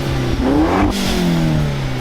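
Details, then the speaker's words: Audi S3 8L Mk1 (AMK engine) first start after sitting about 2–3 years, a bit smoky, fuel showing empty: throttle blips climb crisply and return to smooth idle with no knocks or misfires; normal free revving. "That's awesome. Sounded perfect. That exhaust like makes it, doesn't it?"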